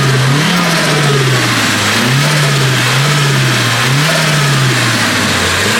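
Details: SR20DET, warmed up, with the blow-off valve blocked using a door stopper and hose clamp; no front-mount intercooler or pod filter, air intake box opened. Free-revving repeatedly gives a fluttery turbo chatter as each rev drops off.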